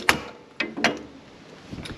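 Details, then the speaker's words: Polaris, right rear wheel off and caliper removed: three or four sharp metallic clunks as the bare hub is rocked by hand, far too much play; worn wheel bearing. "you can see look at all that play i don't think it's supposed to do that"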